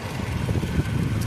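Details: 2007 Toyota Camry that had a random/cylinder 4 misfire code, after the repair: low, even idle with a steady soft rumble and no stumble or miss; misfire fixed, parasitic battery draw still unresolved.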